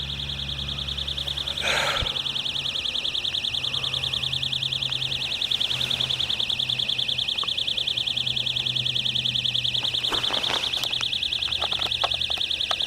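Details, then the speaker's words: Loud, steady, unbroken high-pitched electronic buzz, "like a cricket times 100", at night at a riverfront marina; source thought to be an electrical box, not confirmed. "And there's some strange noise outside. It sounds like a cricket times 100."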